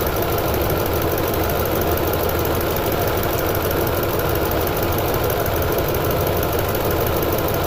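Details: 2009 Toyota Tundra 5.7L V8 idling with codes P0300, P0305 and P0307, VSC and traction lights on, and 4Lo flashing; irregular stumble under the exhaust rumble, a misfire suspected to be a faulty injector.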